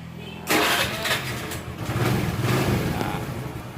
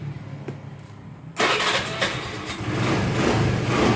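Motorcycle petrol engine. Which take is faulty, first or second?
first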